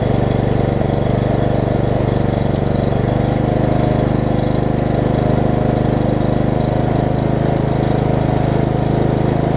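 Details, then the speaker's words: Lowe's riding mower, blade off. It runs with a steady, even low chug, though not very well yet. Owner suspects a tight throttle linkage or a missing governor. "okay well their runs albeit not very well at this point that is a step"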